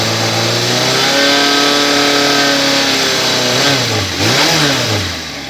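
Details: Yamaha XJ 600 S Diversion four-cylinder revving: sharp metallic ticking and rattle over the engine, caused by a completely loose exhaust clamp between header and muffler.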